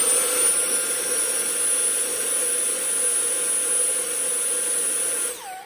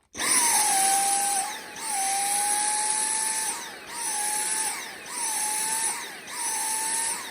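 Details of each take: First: Dyson V6 handheld battery vacuum after the clogged washable pre-filter was removed: steady high whine with even loudness and no pulsing or surging, then winds down; the dirty filter was causing the surging. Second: Dyson V6 handheld battery vacuum: high whine repeatedly sagging and recovering about once a second, surging like cutting out, often mistaken for a tired battery; actual cause is clogged washable filters, fixed by washing them.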